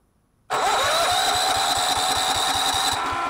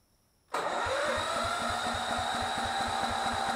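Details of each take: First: Miller Bluestar welder engine, sat 5 years, after cleaning the gummed-up carburetor including low idle jet; starts straight away and runs evenly with regular firing, no misses or knocks. Normal running. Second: Miller Bluestar welder engine, sat for five years, with a new battery fitted: even cranking with no firing. Spark was checked; the carburetor isn't picking up any fuel, so fuel starvation is the cause, and cleaning the carburetor is under way.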